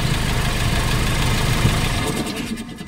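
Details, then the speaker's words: Nissan NV350 diesel idling with valve cover off after new injector washers: leak gone but still strong vibration and uneven clatter of about four knocks per second; fuel knock blamed on injector number 3, to be replaced. "so wala ng singaw pero Napansin ko meron pa rin siyang vibration tsaka fuel knocking So ngayon ang Napansin ko rito yyung injector number 3 ang may problema"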